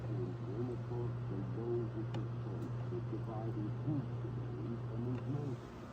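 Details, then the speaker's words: 1964 Concord 440 stereo reel-to-reel tape recorder in stereo mode: the voice on the tape comes out dragged and deep over a steady low hum, playing far too slowly; a channel speaker fault is also noted. Slow tape playback, cause not established. "yeah you can see how it plays it really it plays very slow"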